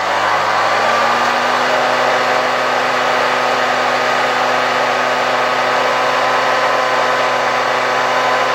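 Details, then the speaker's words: 1972 Hoover 1346A vacuum cleaner, restored and reassembled, run at reduced voltage through a voltage regulator. Steady, loud, even whirring hum with no change in speed. The motor was much quieter outside the housing; owner blames the assembled parts together despite tight mounting. "I have to admit, this motor was much quieter when it was removed from the vacuum cleaner . After installing it in the entire housing, it's quite loud."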